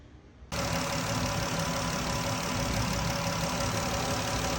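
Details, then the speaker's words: 3.6 Pentastar after all 12 rocker arms and one failed lifter were replaced for a tick: it catches and settles into a smooth, even idle with no valvetrain tick. Normal idle after repair. "No more ticky tick. Cool."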